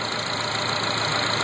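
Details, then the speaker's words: 2004 Acura TSX idling with a slightly uneven, stumbling beat from a continuous single-cylinder misfire (P0302); swapping coils moved the misfire, confirming the failed ignition coil as cause, to be replaced. "lets us know that the ignition coil is the cause of the misfire and we'll place the coil and it should be good to go after that"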